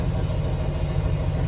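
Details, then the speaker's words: Dump truck with 40-year-old cracked air brake chamber hoses just replaced with new ones, diesel idling while tanks build pressure: steady low idle, no hiss of escaping air; air brake lines holding, charging normally. "We can hear the air tanks filling up, and I do not hear any leaking air."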